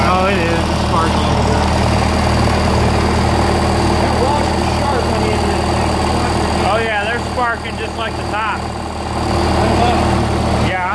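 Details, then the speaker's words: 1948 Lincoln SA-200 engine-driven welder, running again after very little work: a steady low drone with an even firing beat and no knocks or misses over background voices; healthy. "not gonna get that Walker man it sounds good"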